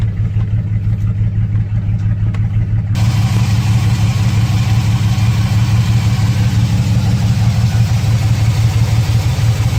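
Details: 2006 Chevrolet Silverado 4.3 V6 with P0305 and P0200 codes and a blinking check engine light. Low rumbling idle with an uneven, loping beat and a recurring stumble as one cylinder drops out. Injector, harness or ECM fault suspected.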